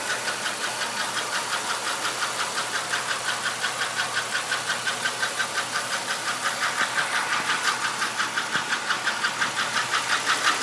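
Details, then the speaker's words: 1996 Buick Skylark 3100 SFI V6 petrol, nearly 150,000 miles, idling: sharp steady tick about three per second, louder since switching from part-synthetic high-mileage to full synthetic oil; spark plugs checked; owner suspects lifter tick, piston slap or knock; barely eases when warm. "I think it might be lifter tick. Maybe it's piston slap. I'm not really sure. Hopefully it's not knock."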